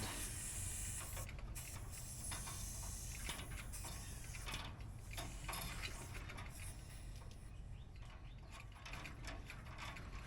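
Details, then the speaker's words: New replacement HVAC evaporator coil being opened: a steady gas hiss over handling clatter shows the factory charge held pressure, so the coil probably has no leaks. "It's a good sound. That means it held pressure and there's probably no leaks in it."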